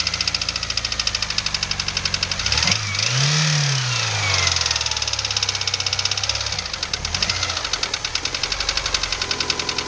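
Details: Honda S2000 engine loaded in 1st gear against the clutch: steady rapid ticking knock over the engine, growing harsher under load; knock under load, cause unknown.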